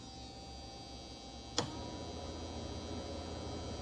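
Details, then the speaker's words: 1948 18-foot Sportsman boat with faulty wiring by others: bilge blower hums slowly, then after switch click speeds up in pitch and level; cause suspected, not confirmed. "So, but again, the blower is slow. Now the blower speeds up."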